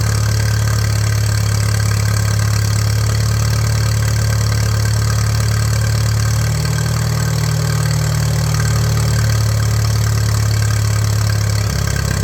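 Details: 1941 Case SC tractor: slow, loping low idle with deep steady drone and slight unevenness; carburetor only halfway adjusted, idle speed set too low, fuel tank shaking loose.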